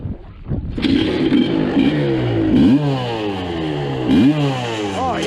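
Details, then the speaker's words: 1986 Suzuki LT250R two-stroke ATV revived after years sitting, with broken pickup-coil wires fixed for intermittent spark: crisp, eager blips falling back cleanly with no misfire while clearing smoke from the pipe; normal revving. "She sounds snappy now, baby."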